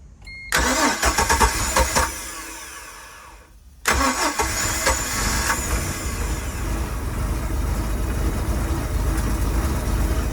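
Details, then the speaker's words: 4.3 engine with milky residue, crankcase vents unplugged as it shot water into the carburetor; suspected crack: fires, dies briefly, catches and runs steady and even without knocks; sounds normal. "Purrs like a kitten. Sounds pretty good, I must say."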